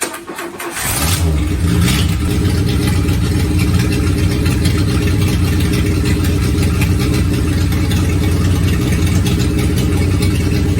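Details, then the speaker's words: Renault 4L rally car starting after fuel filter change: brief crank, then steady, round idle with constant hissing; big leak heard. "bon alors elle tombe elle tourne vraiment rond le seul problème enfin le bruit des huit que vous avez entendu 6 et 8 il ya une énorme fuite"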